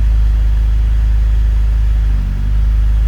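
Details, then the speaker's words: BMW E39 528i (M52TU/M54) with worn dual VANOS seals: low, uneven lumpy idle with brief dips, causing hesitation and bog-down pulling away from a stop; rough idle. "So you're getting a rough idle. This is going to translate to a hesitation when you're coming from a stop."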